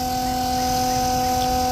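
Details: RV macerator pump with fresh water flushing through pump and hose: steady electric hum at constant pitch, no rattles or straining; normal pump running.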